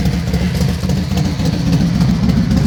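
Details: Yamaha XV1600 Wildstar/Road Star V-twin at idle: lumpy, uneven low thudding beat with irregular knocks mixed in; bad engine sound, cause unclear.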